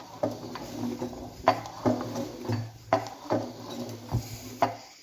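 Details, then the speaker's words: Chrysler 318 V8 from a 1964 Dodge A100 van, sludged and abused, out of the vehicle and rolled over by hand: heavy loose clunks coming off compression, cylinders one and two worst; worn rod bearings. "you can especially hear what sounds like cylinders number one and two flopping real hard listen as this comes back down off compression she's bad"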